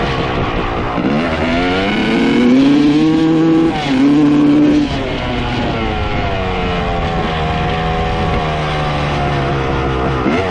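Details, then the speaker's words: 1995 Honda CR250 two-stroke, power valves confirmed opening, after swapping reeds and manifold and rejetting: revs climb, then stumble and flatten out, a bog on throttle; piston or cylinder now suspected. "well as you can hear from the video swapping the reads and the manifold made absolutely zero change so now we know that the manifold and the reads are not the problem"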